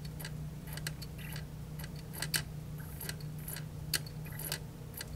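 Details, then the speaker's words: 1990s–2000s JVC PC-X560 CD boombox, trash-picked, mic held close: irregular dry clicks over a low hum as the disc spins; the drive keeps searching and fails to read or play the CD. "But sometimes it also will try to read, and it'll click. I don't know if you can hear that or not."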